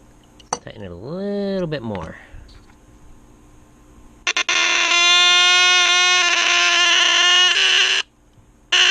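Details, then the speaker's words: 1963 Lionel Alco FA 218 Santa Fe toy locomotive, horn that was out of adjustment, after adjusting: a steady raspy buzz holding one pitch for about four seconds, strong and even. The horn now sounds properly. "That sounds pretty good."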